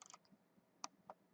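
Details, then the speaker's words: New Rockford Fosgate RFX9200 car radio, powered on after its faulty middle menu button was reassembled: two crisp, separate clicks in a quiet room. The menu button switches cleanly and the menu now opens. "ben là ça marche le menu ben c'est bon c'est bien tout ça voilà"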